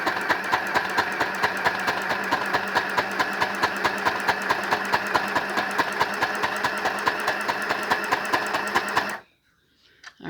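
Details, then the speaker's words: Janome mini child's sewing machine, mostly plastic, after cleaning, oiling and adjustment for thread jamming: quick, even plasticky clatter of about five stitches a second with no catching; loud but running fine. "And this one's a little loud and noisy because it's mostly made out of plastic."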